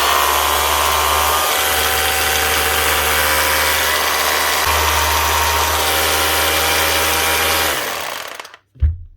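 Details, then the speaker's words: 20-year-old Makita HR2450 SDS hammer drill after burnt motor repair and cleaning: smooth, even motor with steady hammering, no rattles or grinding, then clean spin-down; runs like new. "Runs like a new machine again. That's what we want for not all that much money. Listen to that. Still sounding smooth and still hammering like she should like a new machine."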